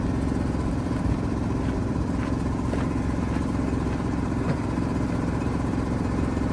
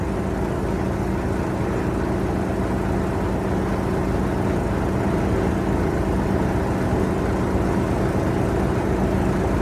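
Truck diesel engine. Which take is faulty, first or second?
first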